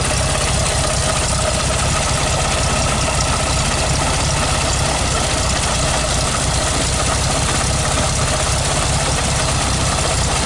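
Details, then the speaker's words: 1969 VW Beetle 1500cc air-cooled, cold start with a bit of choke: steady, even, busy rattly air-cooled clatter with no misses or knocks; normal cold idle. "I just love this sound the air-cooled Volkswagen sound is music to my I don't know what do you think"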